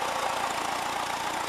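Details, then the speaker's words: 1979 VW Westfalia Bay Window camper, air-cooled engine idling while charging about 13 V; owner suspects a seal leaking oil onto the fan: steady even whir, no knocks or stumbles; normal idle. "It's running alright and everything, it's going alright, plenty of power."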